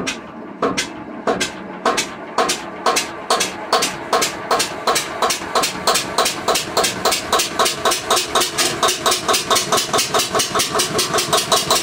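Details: Witte single-cylinder diesel generator first start after 45 years sitting, some smoke and burnt-fuel smell: slow thumping quickening from about one beat a second as it catches and runs; later shut down for no oil pressure.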